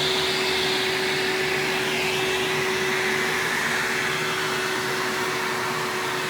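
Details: 1997 Hoover Dirt Finder Power Drive U6331-930 self-propelled upright vacuum, direct-air machine, running in tool mode with the onboard hose attached: steady even rush of air and constant motor tone, no rattle, surge or grinding; a smooth, healthy runner.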